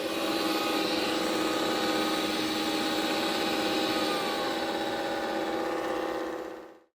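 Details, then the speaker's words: Mova P10 Pro Ultra robot vacuum running much louder than usual with a steady, harsh, whirring screech; the owner checked underneath and found nothing stuck. "Another situation, I was working in my office and all of a sudden, I could hear the vacuum working but making a lot more noise than usual. I went and found it and it was working away but screeching in a way I haven't heard it do."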